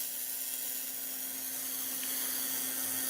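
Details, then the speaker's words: Lakhovsky MultiWave Oscillator (April 2019 version) pulse modulator at 100% intensity, spark gap being opened clockwise from minimum: steady electrical buzz with an even, hissy crackle, normal spark gap discharge giving off some ozone. "And you can see some of the discharge in there, and you may smell a little bit of ozone."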